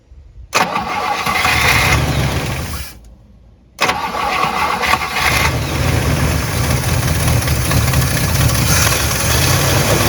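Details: Abandoned 1958 Super: engine cranks and catches, dies after a couple of seconds, then restarts and settles into a steady, even idle; fuel is flowing, oil pressure is good, it's charging, and temperature is climbing fast.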